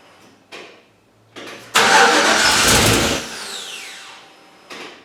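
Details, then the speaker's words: '61 Chevy pickup project, first start after rewiring the starter solenoid relay: short starter bursts, then engine catches, roars about a second and dies; fires but won't keep running. "So then I got that fixed, I got it to crank, it would fire up and then shut off in a second"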